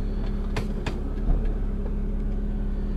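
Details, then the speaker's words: 1998 BMW Z3 2.8L, garage shifts reverse to drive at idle: two sharp heavy clunks from the rear. The worn rear differential bushing lets the diff flex about an inch; the bushing is to be replaced. "and there's a audible clunk with that as well so say you're backing out of your driveway and then going into drive there's a pretty good clunk when that happens"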